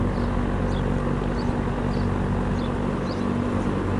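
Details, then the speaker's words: General Electric W22 plastic-bladed box fan after repair, where a loose shaded-pole coil causing buzzing on low speed was fixed with varnish, running after several hours' testing: steady smooth low hum, no buzz. Normal fan running. "Well, I am glad that this is fixed now and no longer makes that annoying buzzing sound."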